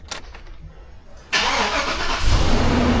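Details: 2005 Chevrolet Silverado 2500 HD 4WD, 6.0L V8, towed in with no crank: after reassembly a quick starter whirr, then a clean catch into a steady, even idle. It cranks and starts normally.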